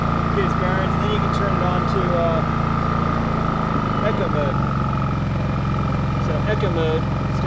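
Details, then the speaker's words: New WEN 56380i 3800-watt inverter generator on concrete, full power: steady, even drone with constant hum, no misses or surging; running healthy. "so that's that's like full power i'll let that run for a few minutes or a few seconds anyway"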